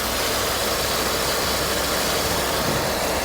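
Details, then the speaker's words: 2000 Pontiac Grand Am V6 (3100 or 3400) at auction, with a new power steering high-pressure hose and green coolant replacing Dex-Cool: even steady idle with a smooth hiss and no knocks or misses; engine runs great, normal idle. "it runs like an absolute top it runs great"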